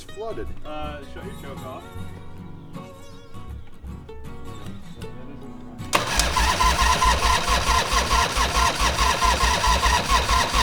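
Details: Harley-Davidson Fat Boy 1340 Evolution V-twin after winter storage, carburetor cleaned, jumper cables on; slow, steady starter churn for seconds under loud music without catching cleanly; suspected flooded; long cranking hard start.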